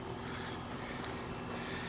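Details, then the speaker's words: Newly installed A/C condenser with Copeland compressor and noise blanket, replacing a loud Goodman reciprocating Bristol unit: steady even hum with smooth fan rush, no knocking or rattling; quiet, running normally. "so nothing special about the compressor it's just a Copeland off the"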